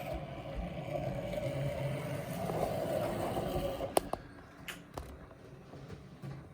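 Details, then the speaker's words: Vintage OO gauge model locomotive, being turned up on the controller; soft, even motor hum with wheel and track clatter, then clicks as it stops; motor runs smoothly. "I'm turning it up. That looks like that runs well."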